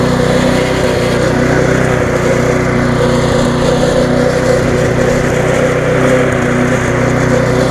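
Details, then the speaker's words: Viking (Stihl) mulching mower, Briggs engine with refurbished classic carb, after repair: steady, even engine drone that holds speed as the blade cuts grass, no misfire or hunting, running well, slightly fast. "it's running quite well to be on the free button a little bit fast"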